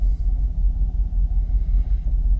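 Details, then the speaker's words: Jaguar XKR (X100) V8 after an ECU hard reset, a fully charged battery and cleaned engine-bay connectors. Deep, even idle holds steady around 650–700 rpm with no hunting or warnings, no longer fluctuating as before. "Staying steady as a rock. Not fluctuating like it was before."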